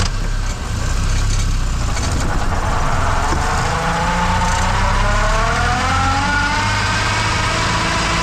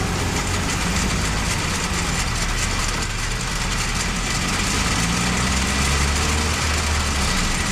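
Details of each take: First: Manual transmission in reverse: over the engine rumble, a clear whine rises in pitch as the car speeds up; normal, since the straight-cut reverse gear is noisier than the helical forward gears. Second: Manual gearbox running with worn or slightly stripped gear teeth: constant low drone with a steady hum that never changes rhythm, unlike the periodic knock of a locally damaged gear.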